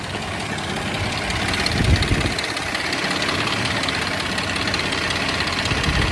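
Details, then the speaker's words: Jeep engine at idle: rough idle with light ticking around three per second; owner unsure where the tick is, wonders about oil supply, and later finds the oil sender port pumping only a little oil; unconfirmed. "all I just wonder if the uh oil comes down and then I got this tick I'm not really sure where it is but"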